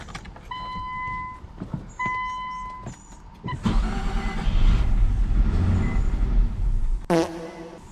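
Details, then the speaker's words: Infiniti M35 after new wiring harness, IPDM and ECU following no-crank no-start: warning chimes, cranks, catches, runs roughly about three seconds and dies; mass airflow sensor later found disconnected. "so we are getting it to at least start I have to figure out what exactly is causing it not to run but I have an idea"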